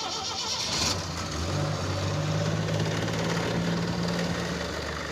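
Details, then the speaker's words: AMC Pacer on an off-road road trip, pulling away just after crossing into Montana: a steady low droning tone rises above engine and road noise; drivetrain noise, clutch coming apart suspected, not confirmed. "What is that noise? It sounds like the clutch coming apart."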